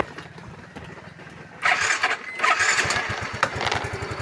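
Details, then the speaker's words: Yamaha Mio scooter with the ignition bypassed to test the regulator, relay and computer: a quiet crank, then the engine catches immediately and settles into an even putter; charging reads 10.5, and the relay and ignition coil check okay; normal start and idle. "Okay rin yung relay. Pagsipa niya, pag pindot mo, sumisipa kagad. Okay naman."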